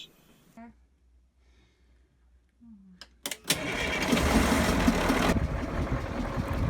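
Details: Boat port diesel engine cranks and catches, then runs rough with a regular knock about three to four per second. Filters were changed and the system bled for suspected air; injectors to be cracked to check. Cause unknown.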